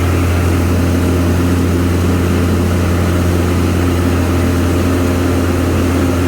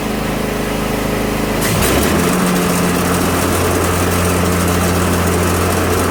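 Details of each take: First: Craftsman Z530 zero-turn after deck repair (deck re-secured): steady, even low drone from the engine and blades with no knocking, squeal or grinding. Normal running. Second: Craftsman Z530 zero-turn, customer complaint of rough-sounding blades: on engagement the steady engine drone becomes a loud, rough, grinding clatter, the deck vibrates badly and the idler arm jumps. Suspected cause: bad belt, worn spindle or idler pulley bearings, or a bent blade.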